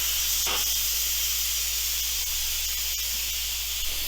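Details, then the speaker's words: Instant Pot Ultra 3-quart after pressure cooking, quick pressure release using press-to-vent: steady, loud, high-pitched hiss of steam with no sputtering or spitting. Normal steam release. "Now you're gonna wanna keep your hand obviously away from the steam, it gets hot."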